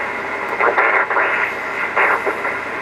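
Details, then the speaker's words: Previously disassembled vintage ham radio rig (VFO coil replaced, cracked PCB and bad solder joints repaired), volume turned up: choppy, muffled voice bursts over constant hiss, words unreadable; it won't receive properly, garbled receiver audio. "Nope, just won't receive them. It's there, but very garbled up."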